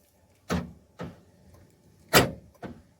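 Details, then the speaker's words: SsangYong Rexton RX6 central locking, after replacing the door lock that caused a loud stereo-like noise: four short crisp lock clunks with no grinding or buzzing; actuators cycle normally, problem solved. "Central locking भी हमारी सही कम कर रही है कोई आवाज़ नहीं है हमारी प्रॉब्लम सॉल्व हो गई है"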